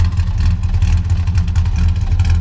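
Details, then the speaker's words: 1962 Plymouth Valiant V200 wagon, mildly built slant 6 with mild non-race cam, tuned carb: deep steady idle with slight rhythmic cam lope, even firing, no knocks or ticks; healthy. "not all out race cam, but it sounds pretty good for what it is."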